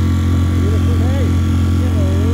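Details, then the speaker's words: Mercury 3.5 hp four-stroke outboard running after its carburettor was stripped and cleaned, with thunder in the background. An even, steady low drone with no stumbles or surging; it performs smoothly. "thunderstorm little three and a half performing beautifully now i've cleaned it all up"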